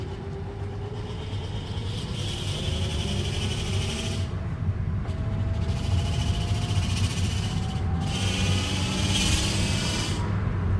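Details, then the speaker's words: 2015 Hyundai Elantra automatic before the transmission was replaced: a faint whine rises with each squeeze of throttle and fades off-throttle while shifting stays fine. The ABS light is on and the owner wonders if it's related. Automatic transmission whine. "it goes away when i don't give it any gas so it shifts just fine it's just making that noise every time i give it a little bit of throttle"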